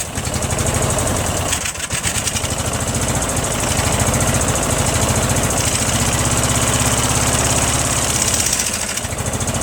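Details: Briggs & Stratton opposed twin with Nikki carburetor, fuel filter swapped back to a smaller one: fires up loud and lumpy with an uneven beat and brief stumble; owner suspects it runs too rich from wrong float level or worn gaskets.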